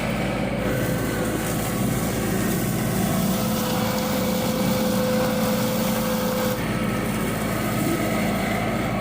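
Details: Yanmar 424 diesel tractor, about a year old, after BG 245 fuel system cleaner cured bogging: steady even running, constant hum, no stumbling or surging; normal healthy running.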